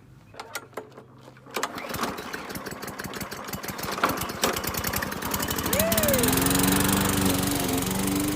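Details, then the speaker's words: Standard gas push lawnmower that wouldn't start, after instant starting fluid was sprayed on the carburetor: sputters and catches after a few pulls, then settles into a steady, even run. "fortunately the starting fluid worked"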